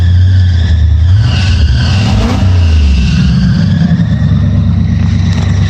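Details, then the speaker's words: Chevrolet Scottsdale after new ignition parts, now running better and idling high; strong roar climbing with revs with a thin steady high squeal on top from the new accessory belts, owner thinks they need adjusting: belt squeal on revving. "I don't know why those belts are squeaking, they're new."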